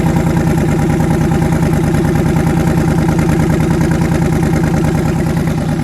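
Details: Twin-turbo engine, first start after conversion, oil pressure near 70 psi, head gaskets done last year: steady loud idle with uneven loping pulse, skipped beat every cycle; back cylinder dead; misfire.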